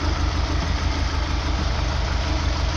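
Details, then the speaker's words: 2000 Opel Astra G 1.6 16v X16XEL with idle problems and no power, started after ECU reset: deep pulsing idle wavering and shaking unevenly; mechanic 99% sure the ECU is at fault; regulated fuel pressure 2.4 bar, within 2.3–2.7 spec. "Deci, după ce am resatat resetat calculatorul, a pornit totuși, dar merge cum merge cum se aude."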